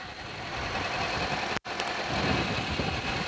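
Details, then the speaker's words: Suzuki Carry petrol engine after repair of hesitation, overheating and poor acceleration (limited to 60, clogged radiator fixed): idles steadily and evenly with no misses, knocks or surging. "เดี๋ยวเรามาสตาร์ทกันดูเลยนะครับเครื่องยนต์จะเดินนิ่งแค่ไหนครับนี่เลยนะครับเครื่องยนต์ก็เดินประมาณนี้นะ"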